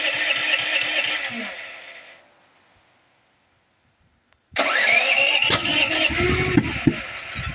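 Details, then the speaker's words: Duromax generator running on propane with intermittent trouble: rapid cranking at about three beats a second that dies out, then a second crank with loud pops and sharp cracks; hard starting with backfiring that blows the air filter lid off, cause unconfirmed. "The backfire is causing this lid to blow off."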